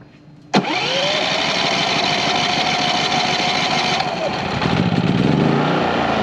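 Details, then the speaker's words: 4500 W generator on a 30 A RV plug with soft starts fitted, as a 15,000 and a 13,500 BTU AC are switched on. A sharp start, then a steady hum as the compressor load comes in smoothly without a jolt, bogging or surging. Normal load pickup. "the answer is yes with power to spare transition of the compressor is kicking in so much smoother"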